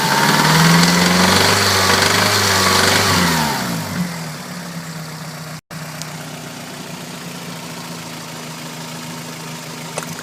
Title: 1992 Celica 5SFE rattling noise